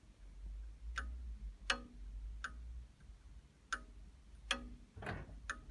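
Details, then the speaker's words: Fagor FUS 6116 IT washer-dryer just after its drying cycle ended, while waiting for the door interlock to release. Sharp, unevenly spaced clicks about every second over a low hum; a thermostat, the door or the board is suspected, not confirmed. "but sounds like there's a thermostat or something clicking in and out there."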